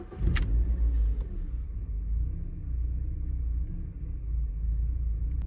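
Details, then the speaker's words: BMW E36 Compact 316i petrol at idle after reseating a loose MAF sensor plug: low uneven rumble that dips and surges, rough idle with misfire unchanged; owner suspects MAF sensor, air leak also noted. "yeah I think it's pretty much as bad as it was the maff is my primary suspect for the rough Idol"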